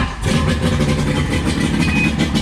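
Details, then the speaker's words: Warm restart of a 20-year-old 1999 Johnson 115 two-stroke outboard on a 1999 Wellcraft 190 CCF, after the cold start. It fires almost at once with no choke and revs cleanly with a crisp, even buzz. Water flows from the tell-tale hole. Normal warm start. "after you start up for the first time after you get that cold start done it should just crank up without choking or anything right after that"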